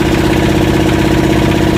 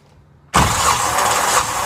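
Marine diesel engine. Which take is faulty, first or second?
second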